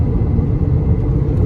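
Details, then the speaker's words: 2011 Honda Accord driving on the road: a low droning hum that rises and falls with speed, goes away when switching lanes and increases on left turns. A bad wheel bearing; the owner suspects the left one, where he hears it. "Alright guys, I have a 2011 Accord and I think it has the classic wheel bearing noise, which I'm going to show you."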